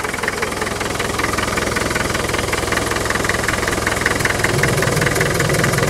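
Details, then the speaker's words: Diesel 2.5 TD at idle after a warm restart, open breather: hard rapid rhythmic clatter and pulsing chuff, about two or three puffs a second; heavy crankcase blow-by, puffing badly, which the owner considers typical of the 2.5 TD. "yeah it is puffing badly but you know that's what 2.5 TD does"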